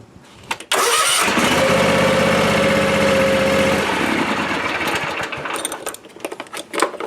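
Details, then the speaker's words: 7-year-old Ariens Ikon zero-turn mower with a battery problem: brief crank, then the engine catches at once and runs a strong steady beat before easing off; normal start. "Okay, there it went. Now, it should fire right up. Should."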